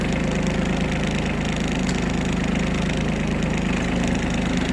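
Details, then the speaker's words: Kubota Aste A-13 diesel mini tractor, 756 engine hours, gearbox test moving in reverse: steady, even diesel chug with no knocks, clunks or gear whine; healthy. "Итак, сейчас мы проверим движение назад."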